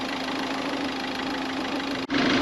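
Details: Peugeot at idle after replacing the part that kept its cooling fans running continuously: steady, even idle with a constant low hum and no fan roar on top; the engine is running smoothly.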